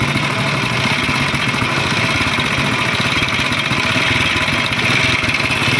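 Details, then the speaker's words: Honda CD 70 single-cylinder motorcycle idling before repair, with constant metallic chatter riding over the beat from the engine; timing chain and tensioner roller rattle. "ये देख अंजन में से काफी सारी आवाजें आ रही है"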